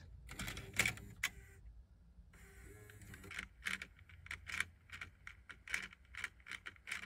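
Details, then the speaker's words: Bluetooth car cassette adapter playing in the radio, which also keeps ejecting: irregular light clicking and clacking from loose internal components; loose gear clatter, later improved with lubrication and removing a part. "basically almost all of these have this same problem where they are very noisy because the components inside are just really loose."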